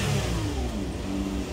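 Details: Toyota Camry 3.5 after ECU replacement fixed crank-no-start, throttle test: picks up cleanly on a quick blip and settles back smoothly with no stumble.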